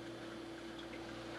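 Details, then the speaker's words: Harbor Freight 12 VDC heater fan run from a computer power supply giving only 8 A at 12 V: soft low hum, faint airflow, barely warm air; fan running slow from insufficient supply current, better on battery pack. "it was doing much better off the battery pack this just can't provide the current it needs"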